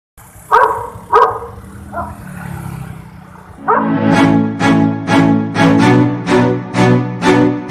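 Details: Traffic-light TOA megaphone at the Simpang 5 junction, Jalan Mayjen Sutoyo S, central Banjarmasin: loudspeaker repeating an odd musical tonal burst about twice a second over street noise; cause of the fault unknown.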